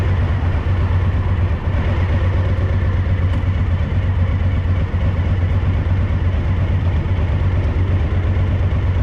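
Deep, loping idle with an uneven, stumbling beat instead of a clean twin rhythm; one cylinder of this V-twin is misfiring.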